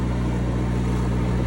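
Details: Cummins 4BT four-cylinder marine diesel generator on a 94' Broward yacht, after replacing fouled injectors that caused smoke, smell and sheen; now no smoke, smell or sheen. Steady, even low drone, no misses or knocks; normal running.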